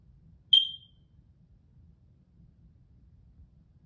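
One short, high-pitched chirp from a smoke detector, the typical warning of a low battery.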